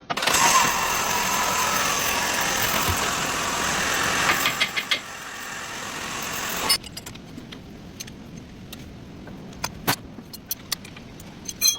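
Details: Sonata engine running, belt bearing noise: a loud, rough metallic grinding rush, then a much quieter run with scattered light clicks after the fix. Worn belt idler/tensioner pulley bearing.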